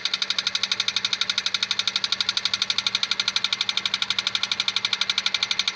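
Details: 2001 Honda Civic 1.7 automatic, engine running: sharp, high, very even tick about three times a second over the engine; owner asks what it is, source unidentified. Engine ticking noise.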